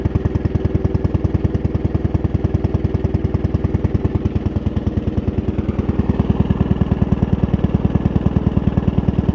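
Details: Steady, even low thumping from the single-cylinder 75 G 14 motor of the Suffolk Demon, firing cleanly and holding its pace without misses after a month of work; runs fine.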